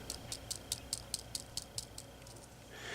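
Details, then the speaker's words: Bearing from a 1947 Philco 47-1230 record changer, spun after grease removal with lacquer thinner. Light, quick ticking of the balls, about two per second, fades out smoothly: a clean, freely spinning bearing. "you can tell by the sound that this thing is clean listen to this you can kind of hear the balls moving around"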